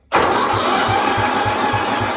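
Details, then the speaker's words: 1972 John Deere 110 with an 8 hp Kohler engine cranks with even compression thumps about three a second under a steady starter whine but never fires; no spark, and the owner suspects the ignition points need pulling and cleaning. "looks like we might have to take that step but don't see any spark"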